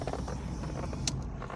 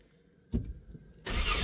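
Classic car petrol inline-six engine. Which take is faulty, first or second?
first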